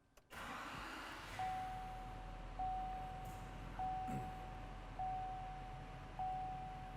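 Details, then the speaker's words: 2017-2019 Chevy/GMC 6.6L Duramax L5P diesel with Edge Pulsar module, just started: low, even idle rumble at about 650 rpm with a cabin chime repeating about every second, before high idle is set. Normal idle. "okay so right now the trucks idling about 650 rpms"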